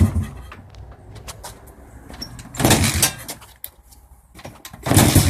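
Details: 1989 Honda XR100, timing and carb already checked: kick after kick gives only brief bursts of churning with no firing or catch; the bike cranks but won't start, cause unknown.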